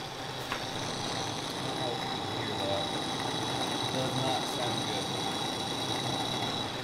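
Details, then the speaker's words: Minn Kota Ultrex 36V trolling motor run out of water: harsh, gritty grinding with a thin steady whine from the lower unit; owner suspects fishing line around the shaft damaged the seal, letting water in and harming the armature. "very very loud loud grinding noise coming from right down here um I I'm gonna say that I've recently had some line wrapped around there around the shaft of the Troll Motor so I'm going to say that I messed up the seal down there"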